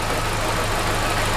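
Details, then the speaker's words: Vauxhall Corsa VXR with low compression on cylinder 4 from piston failure: low idle drone with an uneven, lumpy beat as one cylinder drops out; misfire from piston failure. "but it's definitely it's definitely piston failure in this case"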